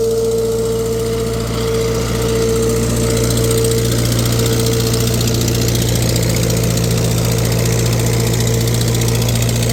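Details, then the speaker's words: 1948 Farmall C tractor, former parade tractor, on a dyno under load warming up: low drone with rapid puffing tick on every firing pulse; owner says cracked exhaust manifold, white metal-filler residue around it from an earlier repair attempt. "I think it's got a cracked manifold. I see there's a bunch of white crap around it, like they tried to fix it with that metal replacer."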